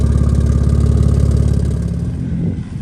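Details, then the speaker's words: Audi on road after subframe and fuel tank swap: loud lumpy idle with fast chuffing pulse about three per second; huge exhaust leak from unconnected flex pipe; engine also sometimes breaks up. "It also has a huge exhaust leak. They cut the cats out of the other one."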